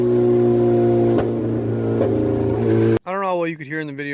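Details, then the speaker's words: Wagon with missing exhaust and leaking header: loud, raw, rasping exhaust note booming as it pulls, engine running evenly and pulling the same as before; exhaust leak, fumes coming up into cabin. "it actually uh I mean I sounds like [ __ ] but it's always sound like [ __ ] and it's even worse that the exhaust is a missing"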